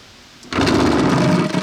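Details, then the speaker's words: Empty vibratory tumbler, used for cleaning Jeep engine parts, switched on before any ceramic media is added: a steady, even buzzing hum with no knocks or rattles, and the container visibly vibrating on its base. Normal running. "later on that's why sound stupid so quite quiet you'll hear it properly in a second but you can see the top vibrates right yeah vibrates itself apart if you don't do it up"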